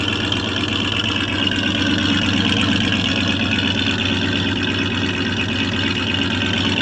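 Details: 1984 Chevrolet Suburban after about three years sitting, warming up after the initial lifter noise went away. A steady, even idle with a smooth low rumble and no ticking; normal idle.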